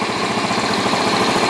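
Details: Yamaha Jupiter Z (misfires and backfires at mid-to-high revs) idling with the battery disconnected on a known-good regulator-rectifier: even, busy idle with no stumbling. The bike died without the battery on its original regulator, so the faulty regulator-rectifier is the cause.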